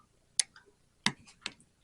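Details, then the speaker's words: Samsung S23 during battery replacement, microphone held right by the board: sharp tiny clicks, about four in two seconds, as each flex connector snaps fully home; the click confirms proper seating. "but you'll actually hear a little tiny click and that's how you know how you hear that click that's how you know it's"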